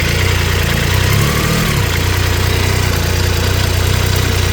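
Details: Triumph Tiger 800 XRT at idle after header crush gaskets, found fitted the wrong way round, were replaced and spark plugs checked OK: light, quick ticking about three per second persists; cause unknown.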